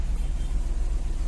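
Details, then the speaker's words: Maruti Suzuki Swift petrol/CNG, AC on, after ignition coil replacement for idle hunting, misfire and poor pickup: low, even idle with steady rhythm and no misses or hunting; RPM now steady, engine healthy. "Car start है, AC on है, आरपीएम एकदम परफेक्ट है, एक ही जगह पे खड़ा है। आप देख सकते हो, परफेक्ट है।"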